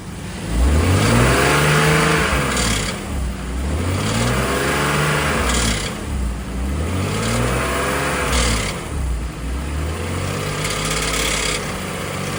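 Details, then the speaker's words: BMW X5 E53, M54 3.0i, slightly warmed: repeated blips with metallic knock growing with revs around 2000 rpm, also present at warm idle; cracked torque converter flexplate. "Ну, в целом, бессмысленно сейчас прогревать, так как на прогретую он на холостых начинает проявляться примерно так же. То есть прямо на холостом ходу вот этот вот звучок появляется."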